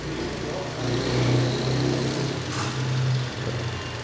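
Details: 2010 Toyota Corolla petrol engine after installing new ignition coils for a cylinder misfire; steady even idle hum, no stumble, no fault codes, uniform burn lines across all cylinders.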